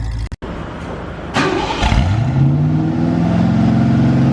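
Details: 1973 Ford Mustang V8 after fitting single-wire distributor, new plug wires, spark plugs and carburetor; cranks briefly, catches, settles into steady even low burble, no misses or knocks; normal start and idle.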